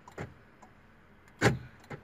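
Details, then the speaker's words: Final test of new right door central lock actuator, replaced after the old unit became noisy, with door panel installed: three crisp single clunks, one per lock/unlock command, no buzzing or grinding; working normally. "nice There is no problem. Great."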